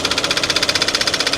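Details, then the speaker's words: Kia at a salvage auction: sharp metallic knock about ten times a second, locked to idle over a rough-running engine; the knock is judged internal, with smoke and heavy blow-by, and the engine needs replacing. "it's so hard to tell where that's coming from is there any chance it's something external like a pulley or no uh-uh that's definitely inside the engine there"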